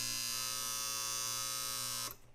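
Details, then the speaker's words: Vintage Sharp flip clock radio (c.1969–73), alarm in which a metal bar is pulled toward a coil to vibrate: a steady, raspy electric buzz holds about two seconds, then cuts off cleanly; the alarm works normally. "The alarm is the simple metal that's going to bring a piece of a bar towards the coil to cause it to vibrate."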